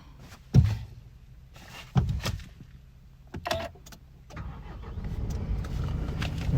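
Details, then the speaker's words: 2016 Nissan Navara 2.3 dCi 190 double cab 4x4, 86,000 miles, full service history; diesel fires straight away after a few door thumps and holds a steady low rumble, no warning lights. Normal diesel start. "you can hear, it fires into action straight away."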